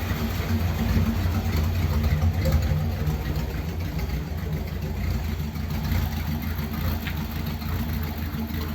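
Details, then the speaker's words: Ford Thunderbird, not run for ages and untouched before first start, no choke: cold engine idles a little rough with a deep, uneven, loping beat, struggling to settle. "that wasn't too bad was it considering i didn't do anything to it the idol's a little bit rough it hasn't got a choke"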